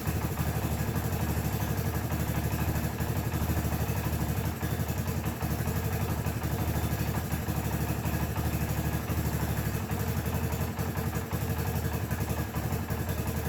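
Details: 1984 Honda ATC 200ES Big Red after valve adjustment, idle turned down: steady single-cylinder putter at low idle, even beats, no tapping or clatter; all previous worrying noises gone.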